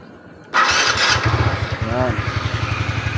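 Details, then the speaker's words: TVS Ntorq scooter engine after repair of noisy, stalling engine: starts and settles into steady even idle, rattle and ticking gone, quiet. "ni Makina wala na yung kalansing lagitik"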